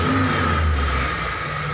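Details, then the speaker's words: T120SS injection car revving with a thin, steady, flute-like whistle heard on throttle. A dented oil pan presses against the oil pump pickup, which whistles as oil is drawn up. "suaranya suaranya seperti suling Oke Bro jadi suaranya itu berasal dari bawah yaitu dari pancit poli ini yang penyok"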